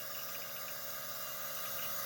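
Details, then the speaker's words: Workhorse chassis 8.1 Vortec in-tank RV fuel pump bench-run on 12 volts; steady high-pitched electric hum with constant buzz, no surging or rattling; normal fuel pump operation. "okay there we go so as you're driving down the road that's what's happening all the time constantly"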